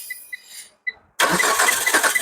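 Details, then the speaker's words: Car started by applying power directly to the fuel pump and starter wires with the relay removed, using a test pen: a few short beeps, then the starter spins and the engine fires promptly into a steady idle; normal cranking and start. "So, kita just bagi pergi pil pump, pergi starter. Kita tengok hidup yang ini."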